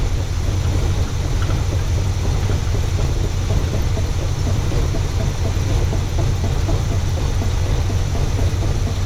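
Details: 1979 Pontiac Trans Am 10th Anniversary V8, first run after sitting since 1995, running on fuel poured into the carburetor: a deep, even rumble holding a steady idle with no misses, knocks or ticking; runs smoothly.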